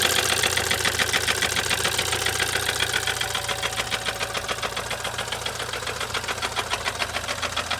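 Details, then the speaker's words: BMW Z4 N20 engine with knocking, subframe dropped for rod bearing inspection: quick steady metallic ticking rattle about three to four a second over low idle hum, chain heard bouncing around; engine rattle and knock, cause unconfirmed. "So the clip you just saw is kind of the summary of what's going on with the engine. You can hear the metallic rattle, you can hear the chain bouncing around."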